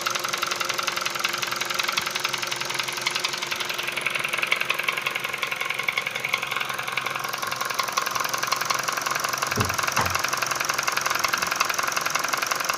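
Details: Kia Ceed JD engine at idle: sharp, regular ticking knock about three per second riding over the idle; source unconfirmed.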